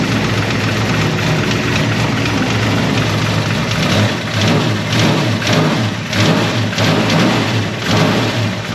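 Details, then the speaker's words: Small Ford F-150 engine on cold start, spark plugs and wires just reinstalled: rough running with a faint regular clocking/clacking over idle; later leak-down shows heavy leakage on one cylinder, cause not confirmed. Cold-start engine knock. "And I just want to start it up for you guys really quick so you can hear what it sounds like. You kind of hear like a clocking noise."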